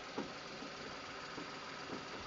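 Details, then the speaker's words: 2005 VW Polo 1.2 petrol/LPG hatchback, started on petrol with bonnet open: quiet, even three-cylinder idle with only a light valve tick, no squeaks or rattles; engine sounds tight and healthy. "there we go no squeaks rattles engine sounds tight uh pulls well"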